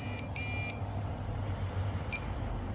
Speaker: We heard the third beep, but it was on this metal. And what's happening is when you first turn it on, it's doing a ground balance.